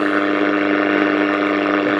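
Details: Circa 1955 Bakelite Bush VHF70 valve radio, first switch-on in decades, unrestored: steady high whistle over station hiss as the tuning drifts off station; owner suspects components changing value with heat, not confirmed.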